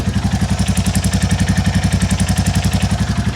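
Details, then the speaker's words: 2022 Royal Enfield Classic 350 (stolen and recovered) at idle before valve adjustment: sharp puffing tap on every firing stroke, knock-like from the bottom end but traced to a blowing exhaust joint, stopped by wrapping it with foam. "I found out I think it's just a blow from this exhaust joint cuz if I wrap this up I can get rid of the bottom end one so that's just a blow from the exhaust"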